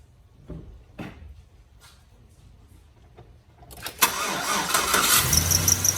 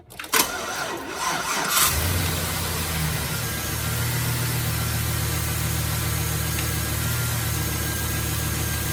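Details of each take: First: 2007 GMC Sierra after idler pulley and serpentine belt change: after quiet stretch engine cranks and catches, then high rapid chirping squeak over idle; serpentine belt still squeaks. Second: 2007 GMC Sierra after a new tensioner pulley and a new serpentine belt, now properly seated in its grooves: it cranks and settles to a smooth steady idle with no belt squeal or chirp.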